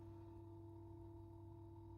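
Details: Corsair iCUE H115i RGB Elite 280mm AIO at PC idle, all case and GPU fans off, phone mic: steady hum with clear mid-pitched whine from the pump, crackling on Quiet mode; moving loop for air bubbles didn't help.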